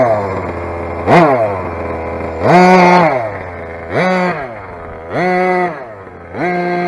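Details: Rovan 45cc big-bore two-stroke on its first run, after modifying the exhaust header and changing the flywheel, with carburettor settings off. It blips sharply five times and sags back to an unsteady, buzzy idle, sounding thin and lean.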